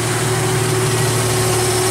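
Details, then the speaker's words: Jeep Wrangler YJ (no factory AC) with a new belt-driven onboard air compressor: even idle with a steady compressor hum, pressure rising toward cut-out at 125 psi (cut-in 95); running normally. "here's pressure and like i told you before we did the electrical video this is going to be a uh on and 95 off at 125."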